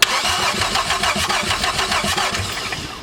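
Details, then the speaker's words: Chevy V6 swapped into a Subaru WRX, cranking on a new 700 CCA battery before the first start: brisk, even starter whirr at about three and a half turns a second, no firing yet; normal fast cranking. "Holy fuck, that is quick. Did you hear how fast that was?"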